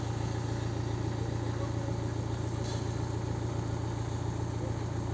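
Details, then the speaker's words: BMW 118d (Serie 1) N47 diesel at idle after alternator and regulator replacement for battery warning light: steady even idle, no knocks; multimeter at battery reads 14 V charging, alternator working; engine light remains. "Ahí tenemos nuestra carga, los 14 v. Ya tenemos nuestro alternador funcionando."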